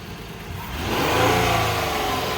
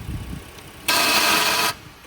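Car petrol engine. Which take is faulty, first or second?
second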